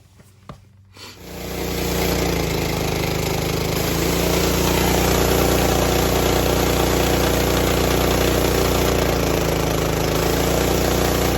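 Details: Simpson MSH3125-S pressure washer with OEM pump 520004 after rebuild with new check valves, high/low pressure seals and O-ring: starts after a couple of pulls and runs at a steady, even drone with no knocking, surging or grinding; healthy run.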